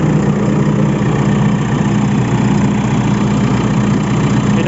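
Steady low diesel clatter at an even idle with no hunting or misfire; the engine is running normally.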